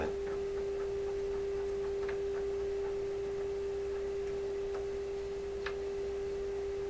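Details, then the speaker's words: Deforest Crosley shortwave radio with no output, IF test signal injected: clean steady mid-pitch tone with faint hum beneath; the detector stage passes the signal. "This is telling us feed in an IF signal and the radio can detect it because we're hearing the modulated version of the signal I'm feeding in."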